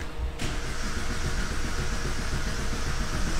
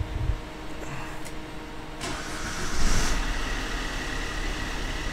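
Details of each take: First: 2005 Vauxhall Combo B van, crank no start: steady starter cranking with uneven churn, never fires; camshaft position sensor code present, fuel pump active, immobiliser not kicking in. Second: 2005 Vauxhall Combo B diesel van after injectors cranked without bleeding: brief quiet then engine catches cleanly, settles to steady even idle with no misfire or knock; camshaft sensor still suspected, being watched.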